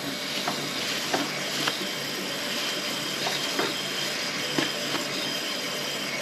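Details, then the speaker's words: Toilet with a weak flush, after snaking the drain. Uneven sharp clicks about once a second over a hiss of running water; the drain is making a clicking noise, cause unknown, and a second toilet had the same noise. "why is it making that noise I just don't want to take that toilet off and just find out there's nothing in there but there's something what's causing that"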